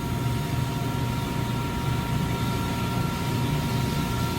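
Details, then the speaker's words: York YK water-cooled centrifugal chiller close to stall, which comes before surge: steady low drone with a slightly uneven, pulsing roar and a high steady tone. Tower fans kept dropping out on automation transfers and were manually ramped to 100%. "So this is why this trying to stall. That stall comes before the surge actually hits, and I really rather not fight this thing on a surge."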